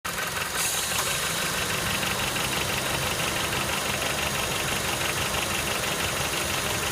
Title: ステップワゴン エンジン異音 ガラガラ音 K20A